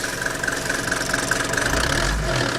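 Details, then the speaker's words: Mercedes T1 van (308D/310D, OM601/OM602 diesel) idling: quick, even light rattle over the diesel clatter from a worn throttle linkage ball joint, found during a throttle system overhaul. "And that just drop it down a a new one of these, but that ball joint's knackered. That's what's rattling."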